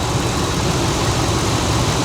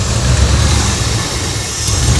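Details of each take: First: 2001 Ford F-150 pickup, a junkyard truck that sat for years: smooth, even low idle at about 700 rpm with a steady rhythm and no hunting or stumbling, running much better after a makeshift fix; normal idle. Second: 2001 Ford F-150 that sat for years, idling during vacuum leak repair with taped hose: uneven surging idle, low rumble rising and dipping every couple of seconds; after fixing huge vacuum leak it smooths to 700 rpm — rough idle from vacuum leak.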